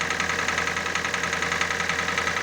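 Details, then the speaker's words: Hyundai i40 2.0 L 4GNA, oil-consuming, before full overhaul with cylinder sleeving and new pistons: steady idle with fast even light knocking; piston slap from scored cylinder walls, blamed on poor cast iron and cooling design. "Это у нас чуть-чуть поршневая группа. Моторы недоработаны из завода. Качество отмычки чугуна низкая, система охлаждения недоработанная."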